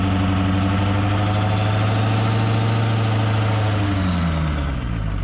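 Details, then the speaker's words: 2005 Ford F-350 6.0 diesel with new custom big exhaust, coolant and oil at operating temperature: deep, steady diesel clatter at idle, even rhythm, no knocks or misses, revs settling slightly near end; normal healthy warm idle. "There you have it. She's up and running. We got some coolant temp up and uh oil up to temp."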